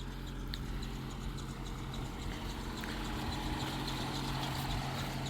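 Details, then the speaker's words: 1984 Dodge Mini Ram Royale van, 2.2L I4, 5-speed manual, carbureted, first run after 25 years parked: choke comes off, presumably a heated electric choke, and it kicks down to a steady, even low idle with no knocks or misses; normal low idle. "Oh, it just went into low idle. Did you hear that? Ha. I just caught that. So, it just kicked down to low idle. So, the choke went off."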